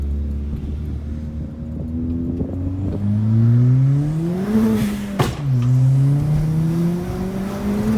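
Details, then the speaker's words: Ford Fiesta ST180 Mk7 on a quick test-drive pull after a service with new oil and spark plugs: engine pitch climbs smoothly through a gear change with no misses, knocks or rattles. Normal acceleration; the car felt better afterwards. "Now it's time to check that everything still runs smooth, so just gonna do like a quick pull."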